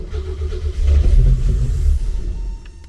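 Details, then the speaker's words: 1988 Opala Diplomata on new FuelTech FT450 injection: engine catches, revs briefly, then falls away and dies within seconds; RPM signal very weak, lost above about 1000 rpm, crank trigger setting too low. "Ja, das Drehzahlsignal ist sehr schwach Wenn es etwa 1000 überschreitet, verliert es Die Einstellung des Kurbelauslösers ist sehr niedrig"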